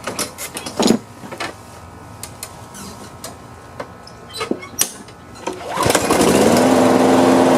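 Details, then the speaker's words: Free Craftsman push mower that had sat outside a long time, just tuned up with carburetor cleaning, oil change and new RJ1 spark plug: after some clatter it catches and settles into a slow, even putter; owner thinks it idles kind of low. "i think it's idling kind of low if you ask me"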